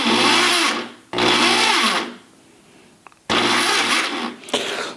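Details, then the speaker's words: Ridgid R3002 reciprocating saw running: the motor revs freely in short bursts with light chatter and no saw rhythm. The broken, stripped crown gear drives nothing. "maybe we can turn it on see what it does there's a voice inside says don't do it okay safety glasses there you go broken gear in motion"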